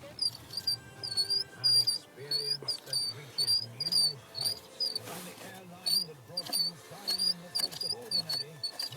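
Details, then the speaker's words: Saab 9-3 heater blower fan, removed from its casing: a sharp, high squeak repeats about twice a second as the fan turns, pointing to a dry or worn blower motor. "I don't know if you can hear that but it's squeaking with which is causing a problem on mine"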